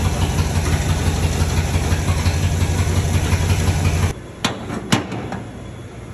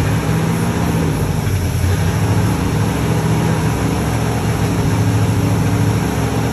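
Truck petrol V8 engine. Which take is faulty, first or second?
first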